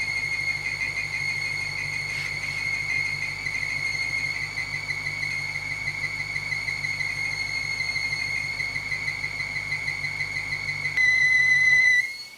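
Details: BMW 550i with N62 V8: a constant high, piercing screech from the running engine that returns with the belt refitted and is traced by stethoscope to the block, not the A/C compressor.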